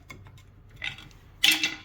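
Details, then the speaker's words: 1993 Dodge W250 1st-gen Cummins, Dana 60 front axle: sharp metallic clinks and clunk as pry bar moves caliper in bracket with key and spring installed, excessive clearance causing brake noise; other side can't move. "there's the caliper key and spring installed just taking a pry bar I should not be able to do this that is way too"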